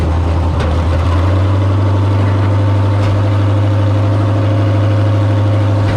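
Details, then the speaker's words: Figure 8 race car idling after a burned-up power steering pump was replaced, steering turned to cycle fluid: steady low idle with a faint level whirring whine from the pump still bleeding air: power steering pump noise from air in fluid. "I can hear the power steering pump making noise so I'm gonna check it hopefully it's good that's still just bleeding air off"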